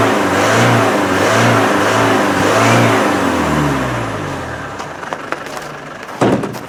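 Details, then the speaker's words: Land Rover 300Tdi pickup started in snow after sitting since August: revs surge unevenly for about three seconds, then sag and won't hold; owner suspects a fuel supply blockage. "it sounds to me like there's a blockage somewhere and it's not getting a fuel"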